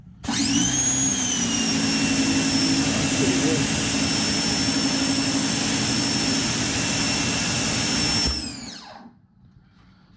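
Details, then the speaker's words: Ryobi 1600 PSI 1.2 GPM electric pressure washer, new, lines pressurized and air purged from hose: steady high motor whine with even pump hum, settling after start-up and cutting off cleanly at eight seconds; running normally with good pressure. "But it's actually pretty good pressure coming out of that."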